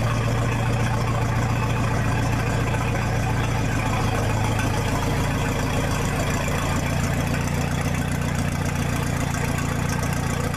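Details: 1966 U302 after corrected rebuild issues, out under its own power: loud open-sounding idle with steady deep beat, no knocks or misses, unmuffled; normal healthy idle.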